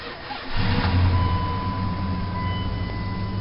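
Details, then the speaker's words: 1999 Dodge Durango SLT, 318 V8, 4-speed automatic, high mileage, failing starter worked via a momentary button: brief crank, then quick catch and steady low idle; engine starts and runs fine. "fires right up all right well you know it's not exactly my favorite vehicle but the price was right and i got it running"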